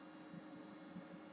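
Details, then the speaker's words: Chinese full-bridge amplifier driven to clip point on both channels with no load connected: steady airy whoosh with a faint constant tone from its small cooling fan; normal fan operation. "we're able to go all the way up to clip point on both of these channels the fan comes on which is normal"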